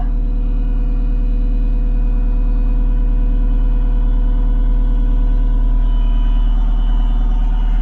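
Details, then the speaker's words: Diesel equipment engine just restarted after an oil and filter change and fuel filter priming, left running a minute to purge air since it might stall: steady, even idle, smooth low rumble, regular firing pulses, no misses or knocks. "It might stall If you don't let all that air get out, we'll just let it run a minute."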